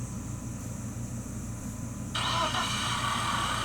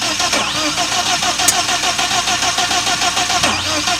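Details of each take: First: 1997 BMW 318i M44 four-cylinder after rebuild, spark plug wires redone in correct order: even idle, steady pulse, no misfire; oil on exhaust manifolds smoking; runs properly. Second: 1997 BMW 318i M44 four-cylinder, first start after rebuild: rough, uneven chuffing with stumbling and loud hiss, then sags; misfire because spark plug wires were fitted by length in wrong order.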